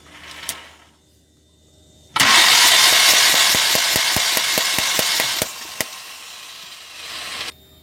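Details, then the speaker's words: Mahindra Maxximo common-rail diesel with a starting problem (injectors would not fire or spray); after replacing the faulty DRV, the removed injector is cranked in the open: loud steady hiss with sharp regular pops, two or three a second, spraying properly. "இப்போ வந்து crank பண்ணி பார்க்கலாம் spray ஆகுதானே. Injector நல்லாவே spray ஆகுது."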